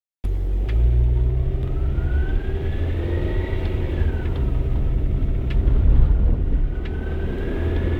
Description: Honda prelude engine whine noise